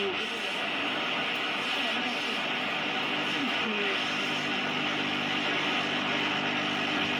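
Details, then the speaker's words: General Electric GE-260 tube radio under restoration, fed through a modern diode bridge because its two selenium rectifiers are suspected weak: loud hiss and crackle swamp faint audio, hum barely heard; likely needs more filtering. "sigue sonando espantosa. Ha mejorado algo porque lo estoy alimentando directamente con un puente de diodos moderno. No deben estar funcionando muy bien los dos rectificadores de selenio que tiene. El zumbador apenas se oye, tiene muchísimo ruido."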